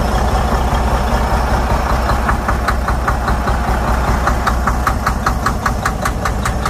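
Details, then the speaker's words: Detroit DD13/DD15/DD16 diesel with heavy smoke and no check-engine light: steady idle with light even tick about 2.5 per second; faulty injectors overfueling, engine struggling to burn excess fuel, causing knock. "the cause of the problem was faulty injectors injectors were over fueling the system causing a lot of knock you will hear a little knock on the engine because this was having hard time to consume all the fuel that was getting injected to the combustion chamber"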